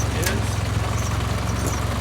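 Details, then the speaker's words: 1955 Ford 660 tractor with a 134 cubic inch Red Tiger engine, idle set all the way down, in third gear with the clutch let out: a low, even thump at slow steady idle with no skips or rattles. Normal smooth idle. "See, with idle all the way down, you can hear how smooth the 134 cubic inch Red Tiger motor that we use in this series"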